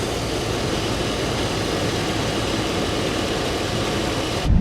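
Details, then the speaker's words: Chevy Avalanche (GMT800 Silverado-type) idling after repairing a mouse-chewed AC wire: steady even idle with smooth low hum and hiss; AC compressor engaged and running normally. "Oh, I hear it. Oh yeah, I can hear the compressors on now. Spinning down in there."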